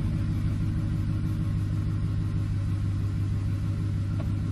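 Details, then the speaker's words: 2007 Ford F-150 5.4L 3-valve V8 idling down after tightening the loose cylinder 2 spark plug that caused a P0302 dead misfire: smooth, steady low rumble with no stumbles; all cylinders firing evenly, normal idle. "let's let it clear out let it idle down a little bit"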